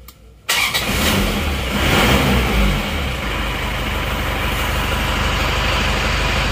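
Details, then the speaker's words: Isuzu Panther Turbo diesel with high oil consumption, started again: shook somewhat when cold, better once warmer. Starter catches, engine fires, revs briefly and settles to steady even idle clatter; normal start and warm-up. "sudah hidup goyang-goyang agak goyang pada saat masih dingin ini mesin Sudah mendingan agak panas kita start coba Bismillahirrahmanirrahim kita starter"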